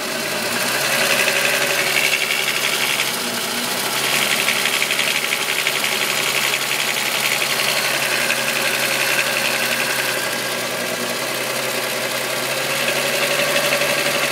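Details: VW Golf VR6 2.9, 103,000 km, steady idle: bright metallic rattle about three beats a second; chain-rubbing noise that grew louder after replacing upper hydraulic tensioner screw; cause unconfirmed.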